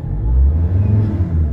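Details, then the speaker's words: Ford Ranger 3.2 diesel with low power and vibration, revved from about 1,000 rpm: a deep, even rumble with no knock, miss or rattle. It responds immediately, which points to a good ECM and pedal sensor. Throttle response is normal. "No, pag inpa mo, inaRPM mo 'yung pedal, nagre-response agad 'yung engine which is ah 'yun ang pinaka good ah ano good condition ng ECM ah sensor at pedal acceleration sensor."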